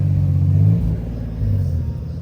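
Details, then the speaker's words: 1998 second-gen Lexus LS400 after a new MAF was fitted: deep, smooth engine rumble swelling and easing back cleanly as it revs to redline, pulling evenly with no stumble; runs and revs normally. "So now it runs. Yeah, it reps all the way up."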